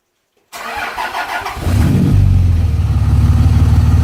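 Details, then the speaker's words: Cold start at about 25°F of a 2004.5 5.9 L Cummins turbo diesel not started for a couple of weeks: short crank, fires after about a second, then settles into a steady even idle with no misses; normal cold start and idle. "Oh folks we're here we're doing a cold start on this beauty right here this 5.9 liter two thousand four and a half turbo Cummins diesel it's about 25 degrees this morning truck hasn't been started in a couple weeks"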